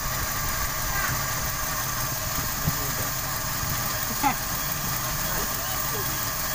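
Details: 1995 Toyota Kijang 5K with abnormal, stalling idle, suspected faulty part plugged off with a bamboo plug: now an even, settled idle with steady low rumble and a couple of light clicks, slightly low power but no stumbling; normal idle.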